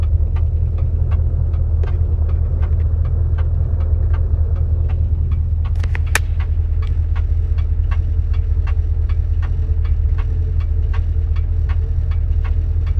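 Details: 1973 Dodge Dart with 904 automatic transmission: sharp light ticks about 2.5 per second over steady low rumble from the drivetrain; transmission only seems to use two gears; source unknown, transmission being replaced.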